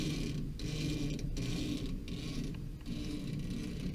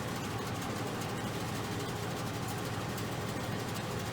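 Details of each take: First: Modine BA130SBM shop furnace blower: squeaky scraping as the belt is turned by hand, mostly at the motor pulley, some at the larger pulley; motor and belt needed adjustment. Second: Modine garage furnace BA130SBM belt-driven blower after belt adjustment and aligning motor with blower pulley: even low rumble and steady hum, no squeal; the squeak came from the belt and misalignment.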